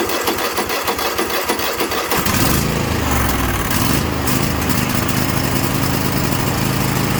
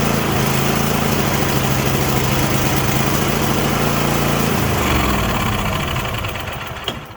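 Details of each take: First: Craftsman T8200 Pro riding mower (2016, 46 hours) with 24 hp Kohler Elite KT735-3068, after carburetor repair and fuel lines flushed, catches after about two seconds then holds a steady, even run with no surging or stumbling; running healthy. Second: 2016 Craftsman T8200 Pro mower with a 24 hp Kohler Elite KT735-3068, 46 hours: with carb cleaner sprayed into the intake, bypassing the carburetor, it runs loud and fairly even for about six seconds, then dies. The carburetor is not delivering fuel.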